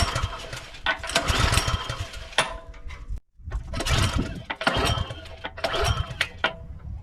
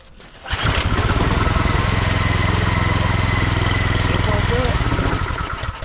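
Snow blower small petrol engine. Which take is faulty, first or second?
second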